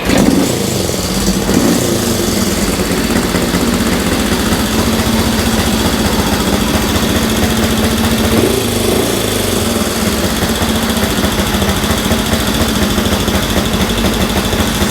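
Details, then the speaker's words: 1965 Honda CL77 305 Scrambler twin, restored, first start in several years, choke on then off: settles into a steady, even idle with regular patter, no knocks or stumbles; normal idle, sounds pretty good. "sounds pretty good sounds pretty good that's the choke on i just wanted to see make sure the choke was working"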